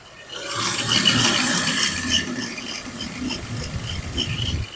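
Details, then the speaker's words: 2005 BMW X3 (M54) engine running, screwdriver held on the wobbling serpentine belt tensioner: hissy high squeal and rhythmic chirps about three a second with grinding vibration from the worn tensioner before replacement. "Putting a screwdriver on the tensioner. You can hear the vibration and all the grinding that's coming out of it."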